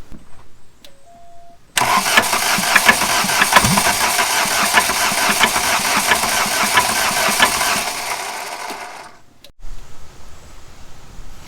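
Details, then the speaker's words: 1989 VW Jetta diesel, 5-speed, about 118,000 miles, parked 14 years, cranked on starting fluid: slow, uneven, heavily loaded cranking that fades without catching; owner suspects hydrolock or dropped valve. "all right so it sounds like she might have a little bit of a hydrolog going on or dropped a valve or something"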